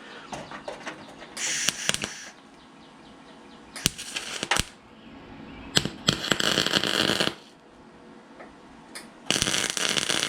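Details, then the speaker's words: MIG blind tack welding on a Nissan 240SX fender side marker hole: irregular bursts of harsh crackling and popping instead of a smooth sizzle; welder suspects shielding gas was left shut off, and it was. "That sounds awful. Why does it sound like that? Did I shut my gas back off? I did."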